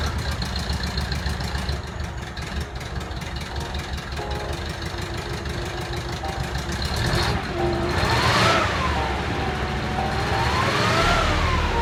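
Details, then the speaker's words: Zaporozhets with a cheap junkyard engine just swapped in, distributor aligned, first startup after a slow start: rough, busy idle with a steady beat that picks up slightly; the engine runs. "first start up took a while but guess what it worked"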